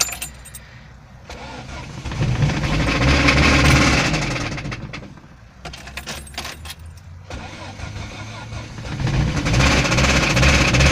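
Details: VAZ 21083 petrol engine revved up and down in cold spring weather: steady metallic knock over the running sound.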